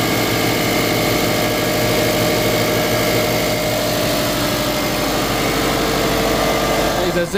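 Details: Subaru Forester 2.5L EJ25 flat-four after intake manifold removal and fuel line replacement, run about 20 minutes toward operating temperature and bled of bubbles: low, even idle with no misses, ticks or knocks; running really good.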